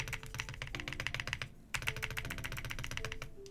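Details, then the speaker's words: Heracles80 keyboard, PC plate with case and plate foams, Azure Dragon V2 switches, Wuque Studio 1.2mm stabilizers: dull, muffled, over-damped key taps with a faint tinny stabilizer rattle still audible on heavier strokes. "a little too much actually I would say you can still hear the rattle but the dampening is like way too much"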